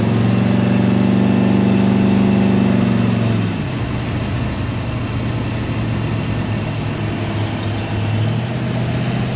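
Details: 1970 Chevy C10 with a 327 small block and HEI distributor, after correcting a wrongly installed distributor and replacing a junk cap and rotor: steady, even V8 idle with a smooth low rumble after a brief higher-speed start, no misfire or pinging.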